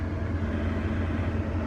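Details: Toyota Supra that previously would not turn over and showed no spark, now running after the alarm system kill switch was found and unplugged: a low, steady rumble with no stumbles or ticks, running evenly.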